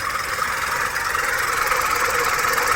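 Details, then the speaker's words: VW Polo after ECM repair for radiator fan running whenever ignition was on: engine idling continuously, AC off, no warnings; fan stayed off cold and now runs only after temperature rose, a steady airy whoosh over even idle, no rattle; problem solved. "இந்த வண்டியில் இப்போ நம்ம கண்டினியூஸாக idling ஓட விட்டதுக்கப்புறம் temperature rice ஆனதுனால இப்போ radiator fan இப்போ ஓடுது."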